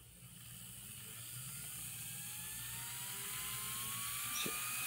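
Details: N scale model locomotive mechanism (LifeLike GP20) run on the bench at about 12 volts: soft hum with a faint, slowly rising whine, smooth and quiet.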